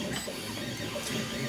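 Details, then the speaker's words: Background 3D printers running during Tevo Tornado hot-end rebuild: soft whirring, warbling stepper tones shifting pitch with each move, no knocks or grinding; printers running normally. "The rest of the printers are doing great, by the way. You hear them over there singing a song. They're doing amazing."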